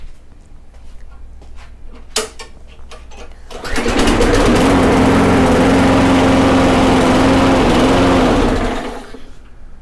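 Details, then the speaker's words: Briggs & Stratton Quantum mower engine after governor adjustment, restarted and running too slow: steady low, lazy drone, then shuts off. A 1/16-inch bend of the governor linkage changes engine speed substantially; engine had been revving insanely high before. "that was obviously too slow like i said you'd be surprised like a 16th of an inch will increase and decrease your engine speed substantially"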